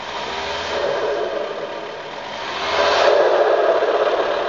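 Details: VW T5 Transporter diesel revving with a regular light clatter about four times a second that swells with revs; cause not clear from sound.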